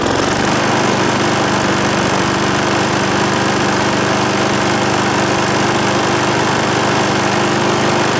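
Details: Briggs and Stratton single-cylinder mower engine, serviced after oil starvation or neglect, gives a loud, even buzz at constant speed with no misses, surges or knocks; runs smoothly.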